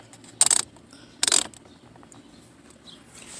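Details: Subaru Legacy/Outback, AC selector moved from hot to cold side: two quick bursts of sharp, rapid clicking about a second apart in a quiet cabin; something behind the selector is broken, causing the AC fault.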